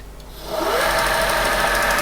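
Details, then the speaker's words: Creed 7B Mark 1 teleprinter motor with normally open governor/centrifugal switch contacts taped over (they were corroded); whirrs up then settles to a steady lowish hum, running much slower. "going much slower also if I pull one of the brushes away from the slip ring you can hear that the governor is now having some effect it sounds like the motor is running much too slowly but it is at least now starting to work"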